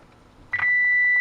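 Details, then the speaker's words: 1941 Motorola 83K1 antique radio under repair, after a replacement coil of about the same ohms was wired in: a brief click, then a steady, loud, clean high injected tone from the speaker; the output stage works, but the front end gives nothing. "and actually here it it's actually pretty loud now so so the output is definitely working on this thing"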